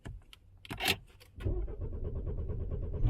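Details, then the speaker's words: Citroën C4 Picasso/SpaceTourer 1.6 HDi diesel just after a fuel filter change: starter churns steadily without catching because the new filter bowl isn't primed; it started after about ten ignition cycles running the lift pump. "Et bon voilà, au final j'ai fait une dizaine de fois à peu près euh le contact pour remplir le bocal. Et là et là c'est bon, elle démarre."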